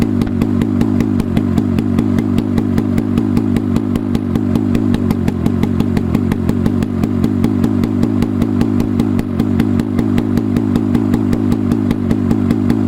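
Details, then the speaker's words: Rusty Hirth 440 two-stroke snowmobile motor (1972 Snowjet), on a stand outside, after swapping in a carb: crisp, even popping beat, steady firing, no misses or stumbles; runs cleanly. "Fucking hell. She's done. She runs."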